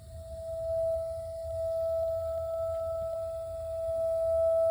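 A steady, pure singing tone around mid pitch with a faint higher overtone, holding constant throughout; the heater is humming, cause unclear.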